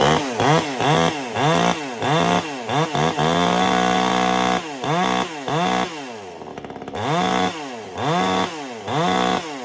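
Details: Vevor 58cc gas chainsaw, new, just after freeing a bound-up chain: crisp revs climb and drop back cleanly again and again with steady idle between blips; healthy and responsive.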